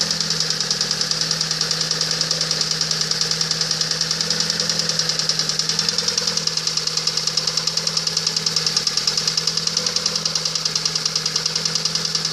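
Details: Lada Priora engine knock: steady sharp ticking knock around three per second over an even engine note, internal knock of unknown cause.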